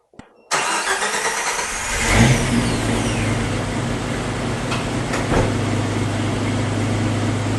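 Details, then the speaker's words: 1998 Jeep Cherokee after replacing all six fuel injectors and fixing no fuel reaching the rail: cranks briefly, catches cleanly, settles into smooth even idle with no stumble or miss; healthy start. "there it is idling bur like a cat so I got everything back in got all my heat wraps back on she is running good"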